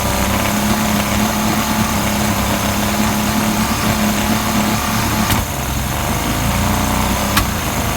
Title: Yamaha 50d misfire